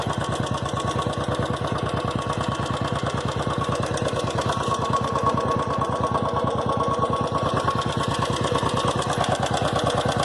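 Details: Royal Enfield Classic 350 single-cylinder idling with a light, regular tick-tick over its thump; the noise began in the bike's first week and has grown louder since.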